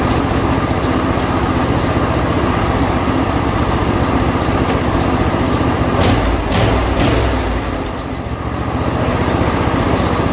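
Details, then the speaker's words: John Deere L120 lawn tractor after carburetor replacement, choke on, throttle about midway: small single-cylinder engine chugs at a steady fast beat with only a brief dip; starts and runs without pouring gas in the carburetor. "So it did fire up, so that's a good sign. I mean, I didn't have to pour any gas in the carburetor or anything like that."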